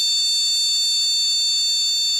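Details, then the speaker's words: Motherboard PC speaker buzzer at power-on with the RAM removed: one long shrill beep repeating continuously, the BIOS code for RAM not detected or not installed (codes vary by motherboard BIOS); a single beep means normal. "kode untuk RAM tidak terdeteksi, atau RAM tidak terpasang, berupa bunyi bip panjang terus menerus . Bunyi bip panjang. Berulang-kali."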